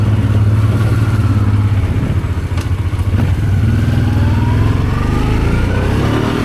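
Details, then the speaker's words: Honda Transalp 650 V-twin at first start after carburetor rebuild: smooth, even note climbing cleanly through the revs and settling without stumbling or popping; had started poorly after sitting two months, now runs healthy. "And now it's time to give it a test run. And it runs brilliant as you can see in the video."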